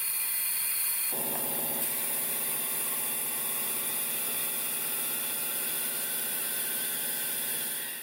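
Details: Mercedes Unimog expedition truck diesel, second start attempt after sitting about one year: quiet at first, then catches about a second in and runs on steadily with a light, even clatter; normal start.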